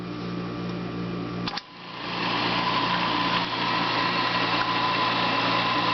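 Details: Burgmaster 6-spindle drill/tap machine mounted on a deck on mahogany blocks, switched on: motor spins up after a brief gap, then settles into a smooth, even whir with a steady hum; normal running.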